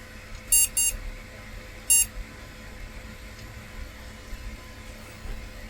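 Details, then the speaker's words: IBM NetVista Pentium 4 PC with its graphics card refitted after a RAM swap: it seems to boot but gives no picture, repeating short high beeps, two close then a third about a second later, a POST error code, meaning unconfirmed. "Okay. Well, once again it seems to be booting, but this bleeping noise."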